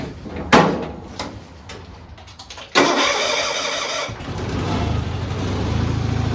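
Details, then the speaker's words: Bolens HT20 garden tractor, fuel primer bulb pressed first: a few cranking pulls, then it catches at once and settles into a steady, even idle; healthy cold start before cycling hydraulics. "Now what I'm going to do is I'm going to start up the tractor, and we can cycle the hydraulics, and you'll get to hear how well this starts."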